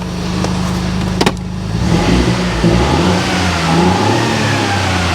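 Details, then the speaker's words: Flooded Mini Clubman after a replacement engine install, now free of fault codes: engine revs smoothly and freely with a strong, even note, no stumble or cutting out; previously it would not rev over 3,500 rpm. "Revs up now, it won't rev over 3,500 before either."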